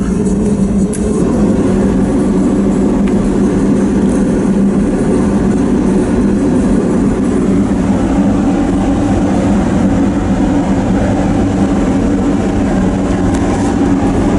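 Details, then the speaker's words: Peterbilt log truck diesel with the heater circuit valved off, cranked wide open after already running; loud steady rumble holds even speed without stumbling; the owner expected it to die, but it keeps running normally. "surprised me. I figured it went dead. So that's good. That's good."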